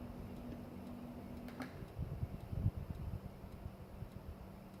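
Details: Home Depot Merwry ceiling fan (owner has two doing the same): quiet low hum with a soft, faint ticking about twice a second; ceiling fan ticking.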